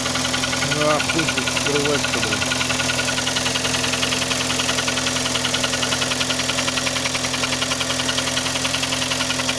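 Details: Kia Sportage 3 engine at idle: steady light ticking knock about three to four per second over the engine hum; louder cold, quieter warm, present at low speeds, gone at 60–90 km/h, returns on reapplying throttle; source unknown.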